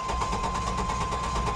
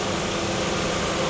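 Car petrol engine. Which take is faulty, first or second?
first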